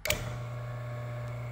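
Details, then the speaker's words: A/C vacuum pump over 20 years old, which made a loud noise at switch-on: switch clack, then only a smooth electric motor hum with no pumping, because the plastic coupler collar between motor and pump broke. "i don't know if you can hear it or not but the motor is operating but the pump is not turning"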